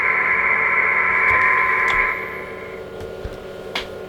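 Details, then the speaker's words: Kenwood TS-450S transceiver, speaker output: steady hiss with a high whistle whose level drops when the RF board is pressed down onto the chassis; loose RF board screws suspected of poor grounding. "you can hear the speaker the noise watch the amplitude watch the tone when I squeeze down this board the RF board the amplitude goes down"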